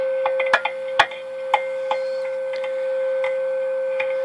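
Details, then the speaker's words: Tram D201 tube CB radio on sideband, volume high: steady ringing tone through the speaker flares with each tap and scrape on the chassis; core-turning vibration makes a microphonic tube squeal and oscillate. "and I actually had this the last time I did this when I was turning one of those cores a little bit squeaky it vibrated to chassis just enough that this harmonic tube actually it's starting to squeal there there"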